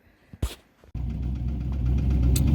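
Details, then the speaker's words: Turbo LS-swapped Cadillac engine cranks, catches and idles low and heavy with a dull repeating knock; owners are pretty sure it spun camshaft bearings and the cam was damaged. "What actually ended up failing was I think we're pretty sure it spun bearings on the camshaft, basically. The camshaft was all fucked up, so."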